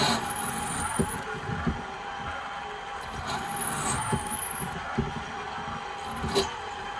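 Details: Milling machine fitted with a drill bit, drilling through after earlier controller fault trips: a steady motor hum with a high whine that dips and recovers as the bit bites. Runs evenly and cuts cleanly.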